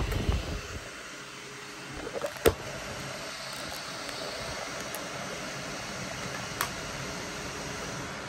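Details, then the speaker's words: Dyson Pure Cool Me BP01 fan after cleaning and reseating the dirty filter gasket that caused whistling: soft, even airflow hiss with light clicks and no whistle or buzz; running fine. "Let's see if it works It's working great with no noise"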